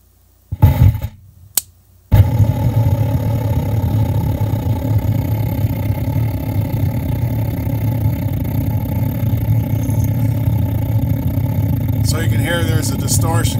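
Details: Polk PSW505 subwoofer amp board removed from the cabinet with nothing connected, owner reports loud noises and powering off: after a couple of clicks, a loud, rough, steady low rumble and buzz; amplifier noise with no input, cause not yet known.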